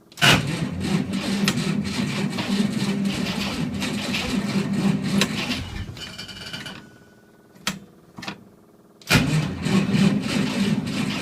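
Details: Willys at -8°F on a 6-volt system, full choke, slight throttle, neutral: starter churns unevenly about six seconds, pauses, cranks again, never catches; cold no-start, eventually flooded.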